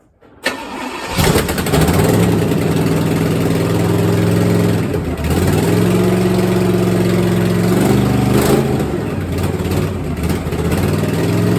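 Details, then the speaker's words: 1964 Chevelle V8 first start after sitting, run briefly with little coolant: starter catches into a loud, uneven idle with raw blats on each rev; open header on one side leaking exhaust, three header bolts missing. "she sounds decent sound a lot better if we could find those three bolts for the exhaust but what the hell they were thinking God only knows yeah it's a open header on this side"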